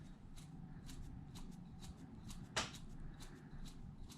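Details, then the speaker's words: Traxxas Wide-XMaxx reference motor, turned by hand for comparison with an 8-year-old motor that has a bad bearing: even, light ticking about twice a second with no grinding or roughness. A healthy motor. "that's a good motor that's what this one sounds like sounds a mess"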